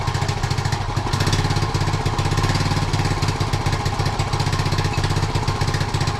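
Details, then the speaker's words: 1976 Honda Z50J1 Monkey, which has run poorly for the 3 years it has been owned, has a new carb that was stripped before fitting. Its small single chuffs unevenly at idle, stumbling and surging: a rough idle. Owner plans to clean the carb, suspecting a blocked jet. "Sounds awful. Doesn't sound right at all. I'm going to clean the carb out, I think, just to see if the jet is blocked."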